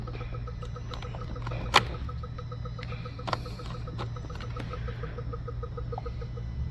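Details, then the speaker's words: Flood-damaged 2016 Honda Civic, cooling fan not working (U0401, P0480), during scan-tool active test of the radiator fan relay: no fan engagement, only a faint regular clicking about twice a second like a solenoid cycling; source unclear. "I hear clicking that clicking shouldn't be there interesting look like a solenoid coming on and off"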